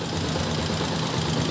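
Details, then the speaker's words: Honda TMX 125 series 1 single-cylinder, about 7–8 years old, cam-area O-ring just replaced, kick-started cold: fast, sharp ticking over the low thrum, loud even when cold; valve clearance to be checked, excessive clearance suspected. "yung tunod ng motor niya kung rinig sa [Musika] video so malakas na yung kanyang lagatik kahit malamig pa yung makina"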